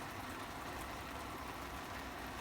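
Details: 60-year-old army mountain stove, owned since 1972, burner under a cup of water, bubbling within a couple of minutes: soft, even rushing roar with no sputter or pulsing, firing steadily and healthy.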